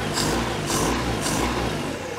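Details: 1973 Larson boat, Mercruiser 120hp 2.5L inboard, warm with choke fully open: low, even idle with a steady thrum and no misses or knocks; settled and running strong.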